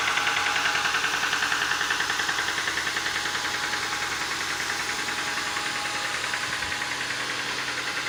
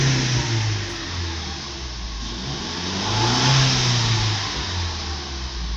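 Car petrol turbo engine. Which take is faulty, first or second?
first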